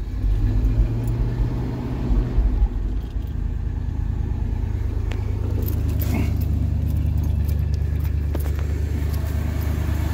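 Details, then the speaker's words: 1974 Chevy C30 wrecker, 350 V8, first run after sitting about five years, started with jump pack and fuel poured in carb: deep even rumble holding steady, no misses or knocks. "yes that sounds good gonna have to put a little bit of gas down here sometime but she's running she is running guys"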